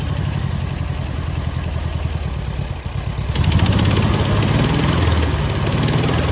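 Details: Air-cooled VW 1600 dual-port sand rail, alternator not charging, after an attempted exhaust-leak fix during oil-leak search: even, loping putter at idle, revs pick up and settle smoothly, no ticking or exhaust puffing; running normally.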